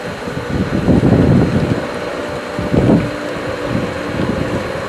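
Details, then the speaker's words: Pool pump at spring opening, opening a winterized skimmer line: motor hum broken by irregular gurgling surges as air pockets purge while it re-primes, less severe than before; pool pump drawing air. "but not as bad this time purging the air there we go a couple more seconds there"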